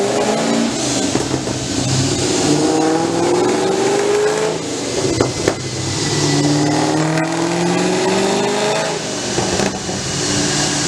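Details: Cammed V8 after a top-end rebuild with Torquer v2 cam, replaced failed lifters and longer pushrods, stage 2, near 500 whp: pitch climbs cleanly through each pull and drops back, no ticking or clatter; healthy.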